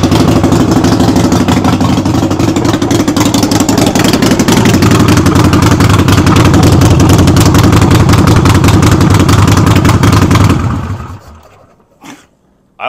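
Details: Harley-Davidson Sportster, rear wheel lifted, run in first gear to warm up after brake light switch repair: loud steady loping V-twin beat with rattle, even speed; normal running.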